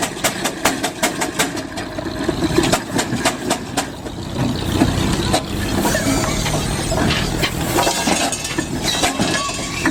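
Slow heavy chuffs with sharp exhaust beats, then a laboured, uneven beat as the load drags it down; a steam engine straining, close to stalling.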